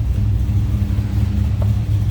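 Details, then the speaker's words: 1968 Plymouth Barracuda, 440 V8, automatic, Borla exhaust, idling, heard from the rear: deep steady throaty rumble, even beat, no knocks or ticks; smooth healthy run. "Slip around to the back so you can hear this run. Nice deep throaty exhaust note."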